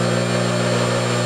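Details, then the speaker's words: Table saw motor running after a new pulley was machined to replace a wobbling one with an oversize bore: steady, even hum at constant speed with no wobble or knocking, only slight vibration from the wooden motor bracket; normal running. "dead on through that's just a motor bracket vibrating nothing big"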